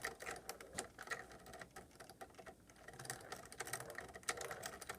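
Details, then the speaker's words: RC car ball differential turned by hand before rebuild: quiet gritty rapid clicking and rasping, one wheel barely drives the other; grease worn off, diff needs rebuilding. "really hear the diff so that that means that the grease is kind of worn off and you kind of gotta you know rebuild the diff"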